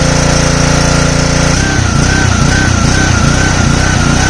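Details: Simpson 3000 PSI pressure washer, Honda GCV engine, long stored outdoors: note rises and dips unevenly about twice a second, hunting; owner suspects clogged carburetor needing overhaul.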